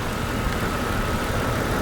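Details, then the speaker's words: Jeep distributor petrol engine with misfire starting at startup for about a month: idle with slightly uneven, stumbling beat; scope shows cylinder 6 worst, secondary ignition misfire; plugs, wires, cap and rotor to be replaced. "Number 6 is the real bad one. Secondary ignition misfire."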